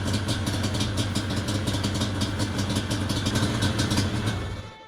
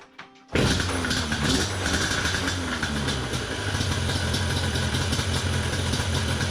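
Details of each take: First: Yamaha Banshee 350 two-stroke after carburetor cleaning and adjustment, warming up with choke on: fast, uneven crackling and popping, then it dies once the thumb throttle is released; stalls when throttle released, won't idle. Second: Yamaha Banshee 350 two-stroke after slides backed off further, air filters refitted and thumb throttle electrical unplugged: fires and settles into a steady, slightly fast buzzing idle that stays running; normal idle.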